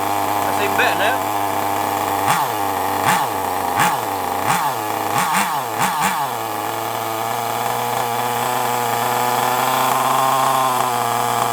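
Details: FTX Carnage nitro RC car: several quick, sharp revs that rise and fall cleanly, then a steady, even buzz; running healthy.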